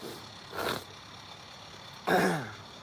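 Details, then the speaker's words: Animatronic figure after regreasing the gearbox to cure a clicking noise: two short whirring motor runs, still rather noisy but with no clicking or arm jiggle, a normal gear motor run. "still pretty noisy but a"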